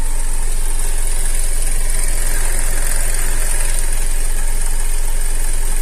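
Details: Opel Antara facelift, 2.4 naturally aspirated petrol, AWD, at idle: a fast, even clatter at a few beats per second over the low engine drone, pointing to timing chain rattle.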